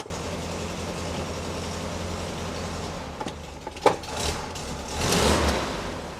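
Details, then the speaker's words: VW Beetle that stuttered and lost power, now after a blocked fuel hose was replaced and new clips fitted: a smooth, even low idle with no misfires or knocks, then some handling clunks; normal idle while checked for fuel filter leaks. "so there it is running I'm going to pop it up in the air and just double check that we haven't got any leaks at that fuel filter"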